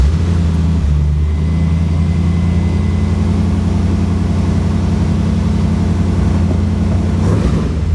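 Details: 1980 Triumph TR8 with Rover 3.5 V8 and aftermarket headers, idling after a hard start; deep, even V8 burble holding steady with no stumble or knock; runs great once started, starter solenoid heat soak suspected for no-crank; normal idle.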